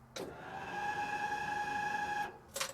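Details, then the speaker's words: Jeep (DJ5, CJ7 or LJR) fuel pump priming in neutral, before the fuel system was rebuilt: a loud, steady high-pitched whine for about two seconds, then a click. "this Jeep used to wind like crazy I'll go ahead and put a video in so you guys can hear the whine all right so we'll let the fuel pump Prime"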